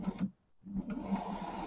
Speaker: It's moving freely, but there's definitely one of these bearings sick. Yeah, it doesn't sound good, does it? I think it's this front one.